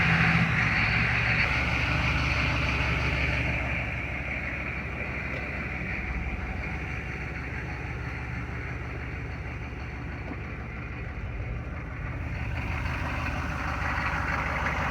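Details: 1993 Chevy 2500 turbo 6.5 diesel after fitting a DB2 injection pump, which replaced a faulty, smoky pump. Even, steady idle clatter with no misses or knocks. Normal idle, smooth and strong.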